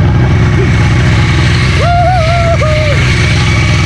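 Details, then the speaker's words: VW Golf 1.8 turbo first start after build, hoses swapped back, fuel pump pushing, programmable ECU unlocked remotely; engine catches and settles into steady low rumble with a brief rising tone; normal start and idle. "vu, elle a démarré. Je suis soulagé, tu sais même pas comment."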